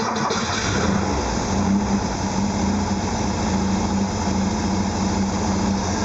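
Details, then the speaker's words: 1974 Porsche 914 2.0 with MPC injection, warming up while the points and timing are set: a steady, slightly high idle because the auxiliary air valve is still open, which closes as it warms. Normal. "the valve is open and it causes a vacuum leak it makes an idle faster as it warms up it closes off and slows the idle down"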